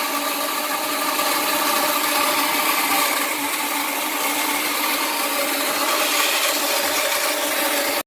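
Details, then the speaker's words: Newly installed Rheem Performance Plus electric water heater (XE40M09EL55U1, 5,500 W) filling before the electric is connected; steady hissing rush of water and air, no knocks, cutting off abruptly; sound stops when the tank is full; normal filling. "Okay, here's the sound it's going to make when it's filling. And when that sound goes away, that means it's full."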